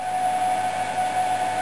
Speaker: so if I just turn that output on you can probably hear the power supply of being used as a load you can hear the fan on that come on